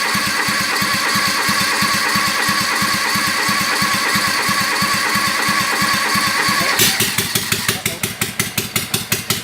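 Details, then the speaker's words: Kawasaki FD620D V-twin in an Argocat after partial engine rebuild (oil pressure light wasn't going out), very cold day, started without choke, about 65 psi oil pressure; even steady twin beat, no knocks or rattles, then brake cooling fan cuts in: normal running. "Sounds like it's fired up without any choke. We're looking at about 65 psi. Not too bad."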